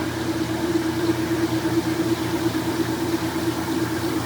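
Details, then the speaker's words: Restored vintage KitchenAid washing machine in its spin cycle after rinsing: steady, even hum with a smooth low rumble, no off-balance clunking; heavy machine spinning normally. "this is when it just plasters the clothes up against the outside of the tub and if it's off balance it just keeps going and you'll hear it it'll be like clunk cluck then you come and adjust it"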